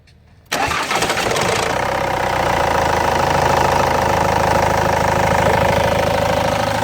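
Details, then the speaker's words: Ford Transit 2.0 TD diesel on a cold start; timing chain due for replacement every 150,000 km. Loud clattering idle with a rattle underneath: the timing chain is stretched and the tensioner is not taking up the slack. "то есть показываем вам на холодном запуске как тарабанит цепь"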